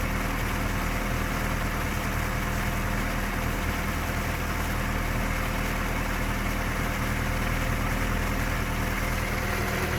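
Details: Toyota 3S engine in a VAZ 2121, at idle: a fast, light, even knock near cylinders 3-4 around the camshafts or below, still there after checking valve clearances, the cam gear and cam bearings; the owner says it is a known 3S trait.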